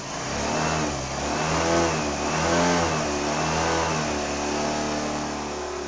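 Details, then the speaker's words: 2014 Honda Lead 110 scooter after replacing the camshaft bearing, engine removed for the job, to cure a loud engine noise: engine revs up and down smoothly with a clean exhaust note, no knocking or rattle; normal running. "agora foi resolvido ela já está ligada aqui ó mostrar para vocês ó ó o barulho no motor ó sem barulho nenhum só o normal dela"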